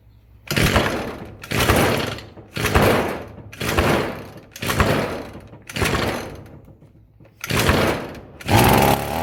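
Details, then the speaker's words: Roadside-found Echo SRM-210 two-stroke string trimmer, first start on choke after fresh-fuel rinse and new purge bulb: bursts into life about once a second, then sags almost to nothing; won't hold idle, runs only with idle held up, bent idle screw set too low. "It won't run on idle. Looks like if I manually hold that idle up a little bit, it'll stay running."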